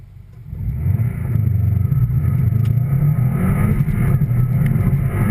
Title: my subie wont start